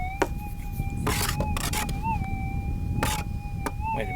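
A steady mid-pitched tone wobbles briefly in pitch between rustling handling bursts, an erratic threshold that may be interference.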